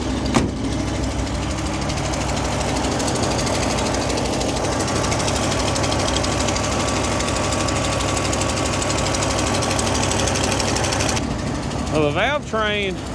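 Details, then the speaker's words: 1968 International Loadstar 1800, 392 big-block gasoline V8, first start after sitting months: fast light ticking over a rough, uneven idle; valve train on one bank much noisier than before and smoking more, cause unconfirmed. "on this side seems a lot more noisy than it used to be. Don't sound good at all."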